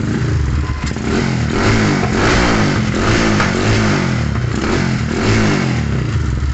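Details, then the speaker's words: Modified Yamaha Scorpio single-cylinder motorcycle, hard to kick-start, battery charged: uneven, lumpy, stumbling beat; plug found black with oil getting in, fouling it, new plug fitted. "Ternyata setelah saya cek review businya hitam."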